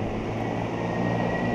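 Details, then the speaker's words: Fan powered directly from a 65 W solar panel, no battery: smooth even hum with steady thin tone, no knocks or wobble, moving lots of air; fan running normally. "off a small panel I mean that's a that's putting some good good air out right there"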